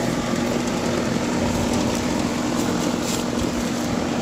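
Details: Amana 13 SEER 1.5-ton condenser after repair of a compressor that would not start (4-blink locked-rotor code), thermostat calling for cooling: steady compressor hum under even fan whoosh, no buzzing or clicking; normal running.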